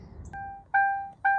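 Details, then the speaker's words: Brother's Ford Crown Victoria 4.6 L V8 with 612,000 miles, sat about two weeks: three clean two-tone electronic chimes about half a second apart in a quiet cabin, a repeating door-open or key-in warning chime. "so what I do love about these cars not the beeping cuz that's really irritating"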